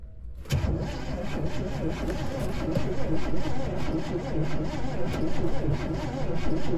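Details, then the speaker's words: 1971 Chevy Nova being revived, cranking attempt: steady rhythmic cranking for seconds without a single catch; no spark found, coil suspected bad. "Hey, pull the coil wire off and see if there's spark when I crank it over. All right. So, I'm assuming we have a bad coil"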